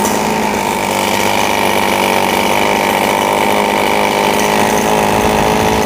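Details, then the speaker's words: RBC 411 brush cutter with broken clutch bowl after replacing damaged clutch parts: steady high buzz with no rattle or grinding from clutch or blade, runs smoothly. "ติดเครื่องดูการทำงานของใบมีดกับชามคลัชนะครับ"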